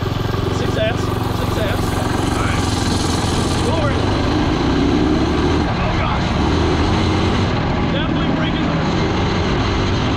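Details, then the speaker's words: 2003 Honda 919 CB900F street bike with Tillotson 225 racing engine (Honda clone, ~18 hp) held flat out at top speed, about 38 mph: steady screaming single-cylinder drone with wind rush, no revs left; gearing suspected too short, drastic gearing change planned. "So we need to make a pretty drastic gearing change. So it's screaming right now."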